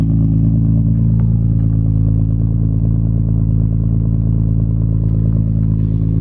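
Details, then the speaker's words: Imported Nissan GT-R with RB26 straight-six engine, first running again in a while: deep, even rumble holding steady at idle with no knocks or misses, ticking over smoothly; healthy normal idle. "Good to hear that RB26 rumble again. It has been a while."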